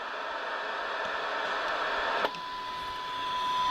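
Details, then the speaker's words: Soundesign 2422 AM/FM radio, the better-performing comparison unit on a 6 V supply with a signal generator on AM; hiss gives way to a clear, steady tone well above the noise; the IF stage passes signal properly. "so you can hear that the if is [Applause] clearly swamping it no problem at [Applause] all"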